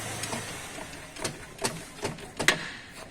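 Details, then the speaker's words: 2014 Audi Golf with DSG gearbox, engine off, rocked back and forth by a tool on the crank pulley: sharp metallic clunks about every half second; suspected broken dual-mass flywheel and clutch play, noise intermittent when running. "o a situação o áudio que eu comentei contigo o barulho aqui no sistema de embreagem eu acredito que o volante bi massa né o tá quebrado as malas também tá com folga"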